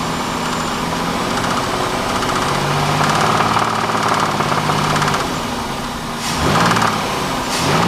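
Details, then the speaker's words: Pontiac Bonneville 3.8 V6 idling roughly with uneven knocking and clicking, heard about 15 minutes after a pull through gears 1–2; car later died. Owner suspects bent rod or bad rocker arm; later coolant in oil and rod knock reported. "about 15 minutes later I started to hear it clicking and it sounded like knocking so I'm hoping it's not a bent rod"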